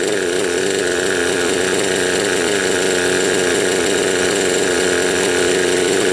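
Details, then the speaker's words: Raptor 30 gasser, a small two-stroke at high-trim idle during break-in, with the low needle one turn out. It runs with an uneven, burbling beat, four-stroking on a rich mixture and spitting oil from the exhaust. "Right now the idle's high and it's got a lot of flooding going on. Or I think they call that four-stroking."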